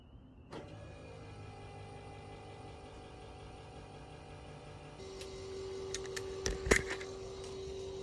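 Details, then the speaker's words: Nova with newly installed Mallory 110 fuel pump, engine off, heard from inside the car: low steady electric hum, no rattle or surging; about 10 dB quieter than the loud old pump. "sitting in the car it's way less obnoxious than it was and now it's just a quiet hum of a fuel pump um so it's way better"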